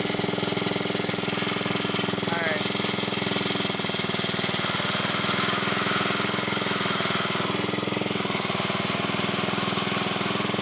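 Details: 1980s Onan 1.7 kW generator running after a clog was cleared: a constant rapid exhaust beat with no surging, misses or knocking; running normally.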